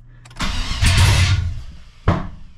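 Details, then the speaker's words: 2003 Chevy S10 ZR2 with home-built 5.7 Vortec 350 V8 (880 block), open headers, after first startup: cranking with sharp random pops and two loud bangs, engine not catching or staying running at low RPM; intake backfire. "and there's the pop again so see if I can even get it running at all"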